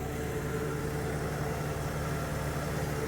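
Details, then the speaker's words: 1983 Porsche 944, warm after running 2.5 hours, fitted with new brakes: steady, even idle with a smooth low hum, no knocks or misses, cooling fans about to switch off. Normal idle. "So, old brand new brakes, the engine's sounding pretty good."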